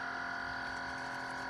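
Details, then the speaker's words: Chefman single-serve coffee maker with rear reservoir, quieter than a Mr. Coffee: steady high electric hum with a fixed whine tone near the end of brewing; owner finds it a weird noise, cause unknown, coffee not very hot. "We'll just All right, we'll let that brew and uh we'll come back and see how hot it gets. That is a weird noise."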